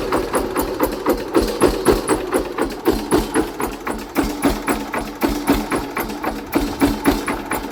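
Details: Hatz single-cylinder diesel converted to Otto cycle running on wood gas from a gasifier, under load: sharp hard knocks about four per second over a steady beat; ignition timing set too far advanced, about to be retarded.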